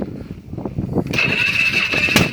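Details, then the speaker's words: Polaris Sportsman 500 ATV, about 12,000 km, troublesome since being rolled: labored cranking chuffs, then a sharp single pop as it catches and settles to a steady buzz; backfire while cranking. "Oh, there's a backfire. But it did turn over there."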